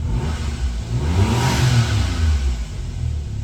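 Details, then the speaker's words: 1996 Suzuki Jimny K6A JA22W RHD turbo three-cylinder, cold start, blipped: revs climb smoothly, hold briefly, settle back evenly; faint turbo and intake sucking air audible, no knock, miss or rattle. Normal revving, slightly high cold idle. "So here we go, give it a little gas. And you probably can't hear in the video, but you can kind of hear the turbo just a little bit and the intake sucking in some air, so."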